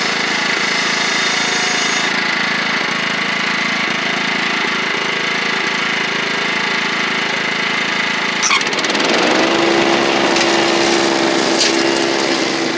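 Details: Toro Proline walk-behind mower, Kohler Command engine, after carburetor, spark plug and blade work: steady single-cylinder buzz dropping to a lighter note partway through; runs cleanly, slightly rich at idle per owner.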